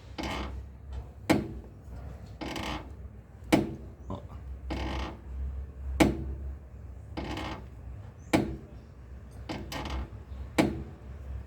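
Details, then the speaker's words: 2010 Hyundai i30 rear suspension: repeated woody creaks and knocks, about one a second, like a door noise over speed bumps, from a worn rear control arm bushing. "aí rapaziada você tem um i30 que fica aquele barulho de porta quando você passa no quebra-mola"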